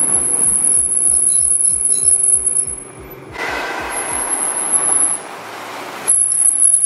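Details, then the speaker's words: 2014 Nissan GT-R with stock OEM racing brake pads that never reach operating temperature in daily driving: a thin, piercing, near-continuous squeal while braking. It was later cured by fitting PosiQuiet pads. "therefore they squeak so bad if you guys didn't get a good clip of it in the last video here's what they sounded like"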